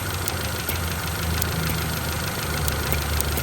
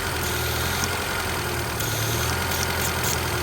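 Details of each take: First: Honda CRX petrol after replacing an incorrect PCV valve that caused a vacuum leak and idle surging: idles low and steady, only a faint vacuum hiss and no surging; fixed. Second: Honda CRX petrol engine with idle surge, running the incorrect PCV valve: it idles fast at about 1300 rpm under a loud steady sucking vacuum hiss; a known-good PCV valve is quieter and lowers the rpm.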